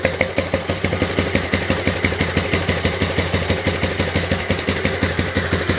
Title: Twiste fazendo barulho no motor